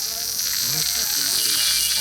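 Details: Samsung A22 ringer speaker before repair: ringtone melody thin and buzzy with a hiss-like rasp over every note, sound not clear even with a larger replacement speaker fitted; loudspeaker distorting.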